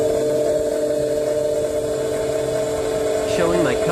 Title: whining noise from your engine? @SouthMainAuto #mechanic #chevy #chrisfix #colorado